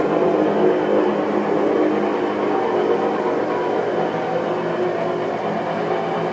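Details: New Whirlpool Cabrio top-load clothes washer on its spin cycle: a loud, steady, train-like rumble and whir, cause not identified; the washer was later fixed under warranty.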